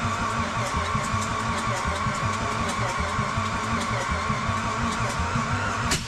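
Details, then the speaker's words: Turbocharged Mitsubishi Pajero with a newly fitted forged V6 won't start: uneven firing bursts and pops while cranking that never catch, with flames shooting back through the intake manifold and exhaust. Owner suspects the crank angle sensor makes it fire out of order; not confirmed. "I really do think it is the crank angle sensor because it it sounded like it wasn't firing in the right order it means we were shooting flames back for the intake manifold and the exhaust"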